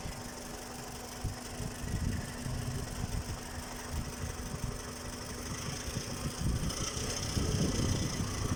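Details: Toyota 1AZ-FE idling with an uneven dull knock of about four per second in the low end, near the flywheel. The owner suspects a bolt is rattling; cause not confirmed.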